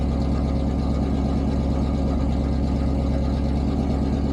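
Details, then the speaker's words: Cold start of a 1988 Pontiac Firebird V8 (shorty headers, Edelbrock 1406 carb, Edelbrock Performer intake) after a long time parked, not pre-warmed. Steady, even low rumble with no misses or knocks, well set up; normal cold idle. "No, it wasn't already warmed up. It's It's cold. It just It's set up very well."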